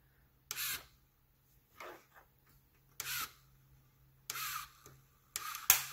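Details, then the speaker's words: LEGO EV3 robot arm motor driven past its stop beyond a right angle during range testing: short rasping ratchet bursts about every second as gear teeth skip. Gear slipping. "um well that sound is a gear slipping so let's try it again"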